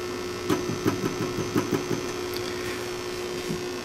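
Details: Light taps on a good new-old-stock EF86 preamp tube in a microphonic analyzer via octal adapter give only short dull clicks over a steady low hum, no ringing: non-microphonic, unlike a worn old tube.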